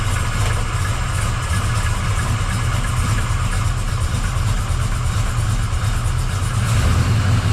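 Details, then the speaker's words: 1979 Camaro Z28 V8 after replacing the noisy Pete Jackson gear drive with an Edelbrock double roller timing chain, new balancer and water pump: first start, lumpy but even idle rumble with no gear whine; normal idle. "I know it probably sounds loud but that is super quiet cuz you know don't hear that Gear Drive"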